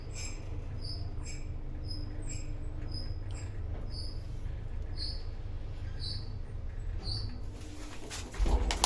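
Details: 1970s traction lift, possibly Falconi, in Chioggia, Italy (7 stops, 325 kg/4 persons, 0.7 m/s), recorded in the car while travelling: short high squeaks about three times a second over the low hum of travel. Screeching during travel, cause unclear.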